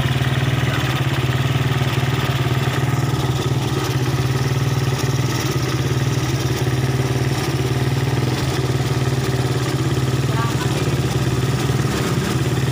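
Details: Suzuki Satria FU that was hard to start, backfired and lacked power, after the torn vacuum part was glued and the spring trimmed: engine idles steadily with a low, even exhaust beat and no obvious misfire.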